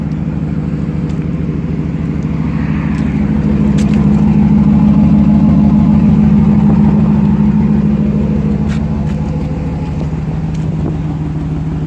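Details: 2008 GMC Sierra 1500 Denali, L92 Gen IV Vortec 6.2L V8, cold start and rev: steady low rumble with fast even ticking puff swelling with revs; exhaust leak just before secondary catalytic converter, resonator deleted, axle-dumped exhaust, otherwise stock.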